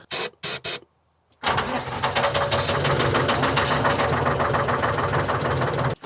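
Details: Telehandler swapped to a Detroit 3-53 two-stroke diesel with suspected algae in the fuel: ether spray hisses, then it cranks and fires raggedly but won't idle; hard starting.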